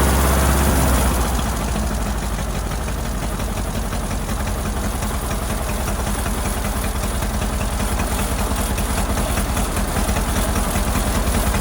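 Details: Ford Model AA doodlebug, new carburetor, first start, no water yet: rough lumpy idle with an uneven beat about two and a half a second; shorting plugs shows cylinders three and four misfiring, owner suspects a stuck valve.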